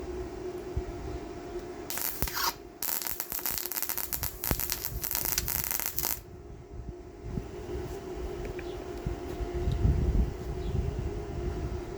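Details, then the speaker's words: Yeswelder MIG 135 Pro welding a stainless exhaust with 0.030" Yeswelder flux-core stainless wire at 260 wire speed: an uneven, stuttering crackle that breaks off and restarts. Not enough power, and wire feed speed is too low. "And right off the bat, I can tell it didn't do very good at all. That's uh not enough power."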